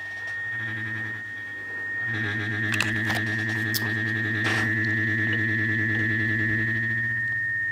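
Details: Mid-1930s vacuum tube radio, IF cans tuned at 455 kHz: steady high whistle near 2 kHz over hum with distortion returning; capacitors inside the IF cans suspected bad, possibly silver mica disease, to be replaced.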